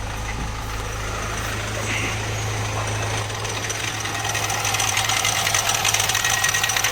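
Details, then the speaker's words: Mahindra Marazzo diesel (Delphi common rail), knock began after refuelling: light throttle sends rpm racing with tak-tak knocking, about three a second over rough idle, normal after ignition cycle. "जैसे ही हम accelerator देते हैं फिर RPM full fast जाते हैं और engine में से कटकट कर साउंड आने चालू हो जाता है"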